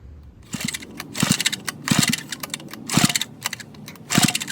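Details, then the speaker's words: Vintage Donelson Mini Mule minibike, roughly 50 years old, about 60 psi compression, cylinder lubricated with penetrating oil and two-stroke mix: weak sputtering bursts about once a second with quiet gaps, barely running on low compression. "even though it started 60 is probably the minimum for this motor to run so I'm going to pull it off and see if I can figure out why it's so low"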